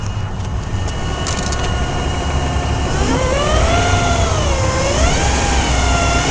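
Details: BMW 323Ci, 220,000+ miles: clear whine rising and falling with revs, also at idle and while driving, stopping at idle when clutch is pressed; transmission clanks when shifting and tapping gas; no performance loss, cause unknown.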